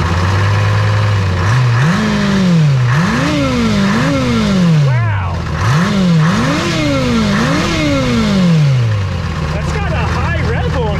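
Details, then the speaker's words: 1970s Chevy C70 with Detroit Diesel 6V53 two-stroke diesel, sat 30 years, running with no cooling water: engine surges up and down in pitch and keeps revving high, not stopped by a block of wood over the intake or the emergency shut-off; owner suspects intake leaks, unconfirmed. "What about the emergency shut off? Yep. Hold that. And now it's still that still didn't shut off."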